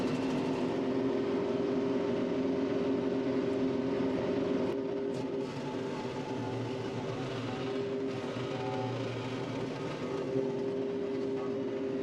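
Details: Baumalight 3P38 three-point stump grinder on tractor, roughly 30-inch stump; steady humming whine holds pitch at constant speed without dipping or labouring; normal operation.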